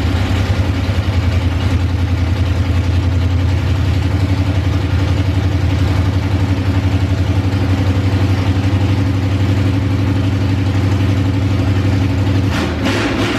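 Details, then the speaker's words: OBS Chevy C1500 after an engine swap, cold start on choke, timing a touch advanced, swapped plug wires (3 and 6) corrected: loud, steady, even V8 rumble with no misfire stumble, running smoothly at last. "now it's probably going to start hard because it's cold and I went over the whole choke situation a couple of videos ago but let's fire it up see how it does"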